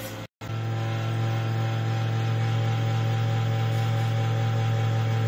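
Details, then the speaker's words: Desktop computer CPU cabinet running: loud, steady low hum with an unchanging droning tone; noisy cabinet fan. "देखिए दोस्तों computer का CPU कुछ इस तरह से आवाज़ कर रहा है इसे ठीक करने के लिए आप क्या कर सकते हैं"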